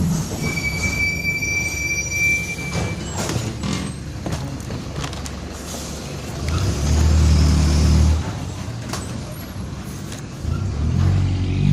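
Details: Onboard 2007 Torino bus on Mercedes-Benz OF-1722M chassis (Grande Londrina 4178) under way: a low steady drone with a growl swelling under load over road rattle, a worn, growling rear differential.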